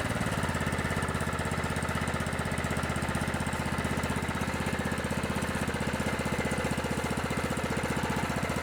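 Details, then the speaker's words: Scotts lawn tractor with 15 hp Kohler Command engine, started on a cold morning and warmed up; even regular putter about four beats a second, no misses, runs well after clearing out. "like kitten it runs pretty good it just needed to clear out a little bit"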